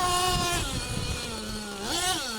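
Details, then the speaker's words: Losi LST XXL2 1/8-scale truck, .31 cu in gasoline two-stroke, after tuning at high elevation: the buzz climbs and drops cleanly with throttle and picks up crisply without bogging; it is running well. "he sounds good though let's go a little harder"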